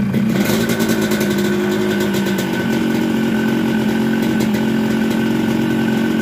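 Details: Yamaha RX King two-stroke with a Yamaha 125Z head, rebuilt after running very rough (new conrod and block, rubbing corners ground down): a crisp buzz climbs and settles cleanly with each throttle blip, no rattles or misses. Healthy after rebuild.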